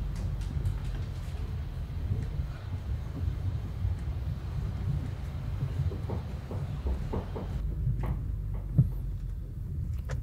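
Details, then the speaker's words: Honda car on a bad road: dull irregular knocks from the front suspension over heavy road rumble; inner and outer tie rods had a lot of play and were replaced with genuine Honda parts. "మనకి old టైరా లో అయితే చాలా play ఉంది ఈ play వల్లే మనకి sound అయితే వస్తది."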